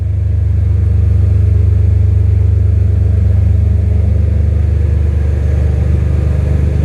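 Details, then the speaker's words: First start of a freshly swapped BMW M3 S54 engine, surge tank connection unfinished: a deep, steady idle rumble, smooth and even with no ticking or misses; oil pressure good, alternator charging, no smoke. Normal idle. "We got the thing running. It is good. Oil pressure is good. The engine sounds healthy. There's no smoke."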